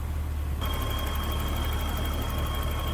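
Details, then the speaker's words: 1984 BMW 325e, 2.7L inline six with a Getrag 5-speed manual, 105,000 miles: a steady, even low hum with no misses, knocks or ticks. A smooth, normal idle. "Very smooth running engine. What you'd expect it to sound like. Inline 6."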